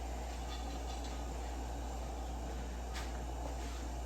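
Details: Secondhand restored Coleman lantern just lit after pumping and preheating: steady even hiss with a low constant hum, no sputtering or surging; burner burning cleanly, normal.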